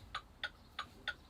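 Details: CDL truck pre-trip light test with the key on and the 4-way hazard flashers switched on: crisp, even ticks about every 0.3 seconds over a quiet background; the flasher is cycling normally.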